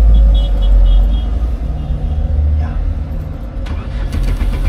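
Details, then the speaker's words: Car that won't start on gasoline: a few seconds of low, uneven churning with no clean catch. Crank-no-start traced to a large fuel leak at the fuel pump O-ring seal. "a ver qué estará molestando aquí en este carro arranca gasolina pero se le llega corriente vamos a ver Wow hay una fuga grande"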